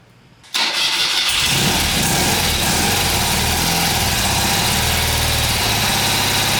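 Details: Newly restored 1977 BMW R75/7 after oil fill and timing set, first start on choke with fresh gas: silence, then the engine catches at once and settles into a steady, even idle with no knocks or misses; normal start.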